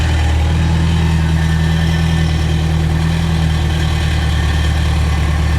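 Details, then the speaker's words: 1975 MGB sat 16 years, warming up at idle after brake and clutch fluid refilled, old carburetor still fitted (new one on order), oil pressure just over 50: steady smooth deep rumble, no knocks or misses — exhaust sounds healthy, normal idle. "exhaust sounds good she's healthy this is another one that wants to live guys"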